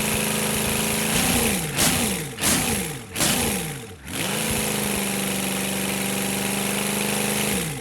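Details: Rebuilt GEP/Navistar 6.5 diesel (GM design, block cast 2009; Scat crank, bored 30 over, moly pistons and bearings) with Stanadyne DB2831-4911 injection pump, warming toward 180°F on a run stand; quick throttle blips falling back to steady even idle, no knocks or misses; healthy.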